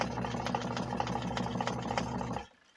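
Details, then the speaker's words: Vivohome portable washing machine after new belt and agitator washer spacer: even churning with a light regular rattling tick, stopping after about two and a half seconds; running normally, though the machine was never super quiet. "Yeah. This thing was never super quiet in the first place."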